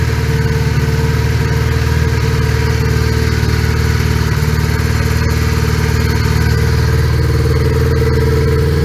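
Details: 1980 Honda GL1100 Goldwing four-cylinder, cold start at about 3°C after a carburetor overhaul, idles with a lumpy, uneven beat instead of a steady hum; owner suspects the carbs are out of sync, before synchronization.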